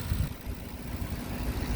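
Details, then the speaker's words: 2010 Ford F-150 FX4 V8 4x4 after start, parking brake on, no warning lights: deep, even V8 burble at idle, no ticking or knocking over the low rumble; engine sounds healthy, normal idle. "Starts up very nice. No warning lights. Parking brake is on. Radio's working. Engine sounds pretty good. Not hearing any knocking."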